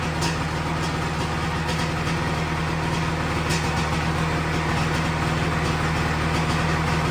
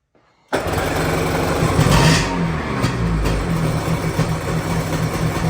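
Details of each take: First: 1997 Sea-Doo XP 800 two-stroke, revived after years sitting with rebuilt carbs, after carb adjustment: fairly even quick idle burble about three and a half beats a second, no misses, no heavy white smoke; close to normal running. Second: 1997 Sea-Doo XP 800 two-stroke, first runs after several years sitting and rebuilt carbs: catches and settles into a low, uneven burble that sags and wavers; idle speed set a touch too low.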